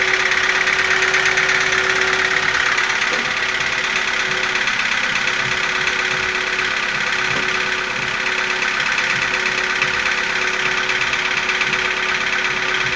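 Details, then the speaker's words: Nissan QG15DE engine at warm idle: fast, light, even ticking about three per second, left over after a cold-start knock faded with warm-up; top-end tick of unknown cause. "По мере прогрева он проходит, но цокот остается такой."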